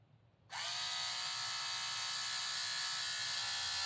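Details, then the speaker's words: HO slot car (Viper) with a balanced armature, run with the body on, gives a high, steady whine with no wobble or rattle; it winds out better, a smooth, well-balanced motor. "So anyway, this one here with the balanced armature seems to be winding out better."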